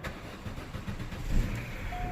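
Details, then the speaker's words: 2006 Vauxhall Astra 1.4 petrol, crank-no-start fixed by reconnecting fuel pump, about 4 bar fuel pressure: brief crank then clean fire into a steady run; normal start. "hey it really does help when the pump is connected people"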